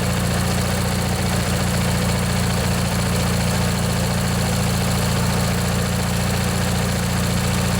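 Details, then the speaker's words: Briggs & Stratton 16 hp flathead opposed-twin on a Montgomery Ward/MTD riding mower, after replacing a worn-out starter motor, first start in a year or two: a little smoke and water from the muffler, steady even low rumble; normal running. "see we have some water coming out of the muffler here and it runs good glad to hear that i think that was the problem folks just that old starter motor there was just worn out"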